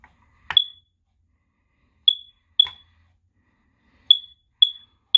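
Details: FireX smoke/carbon monoxide detector over 12 years old and due for replacement, given its last test: sharp high-pitched paired beeps, about two per second, with pauses.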